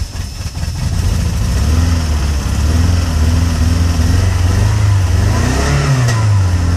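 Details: Peugeot 106 GTi driven from cold, misfiring and cutting out unless revs kept up, clearing near 5k rpm and gone once warm; began after a hard downshift to 2nd, new temp sensor fitted: uneven, stumbling, wandering engine note; cold misfire.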